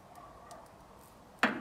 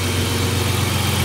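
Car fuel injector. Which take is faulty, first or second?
first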